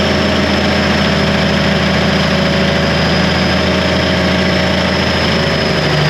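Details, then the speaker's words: 1991 Freightliner with a mechanical Cummins NTC-365 (throttle linkage to PT pump), exhaust cut off, smoking, with a suspected missing injector. Heavy, slightly uneven diesel idle that never settles cleanly. Rough running with throttle lag, seemingly worse after the latest test. "sounds like we made it worse well that's not the direction we want to go"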